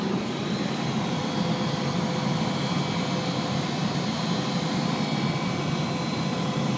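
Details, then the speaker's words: 2011 Honda Pilot blower motor at 9° outside (-4 that morning), turned up from lowest speed: loud rushing whir with thin whine on top; worn blower motor bearing. "m making this video because my blower motor in my 2011 Honda Pilot is uh starting to make some serious noise."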